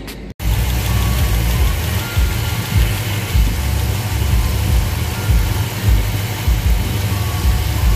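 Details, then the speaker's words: V8 truck idling with a lumpy idle and a light, quick top-end tick that comes and goes; valves being adjusted with the engine running: each loose rocker is backed off, then tightened until the ticking stops, plus a quarter turn. "I'mma un loosen all of them and I'mma tighten them down till they stop ticking"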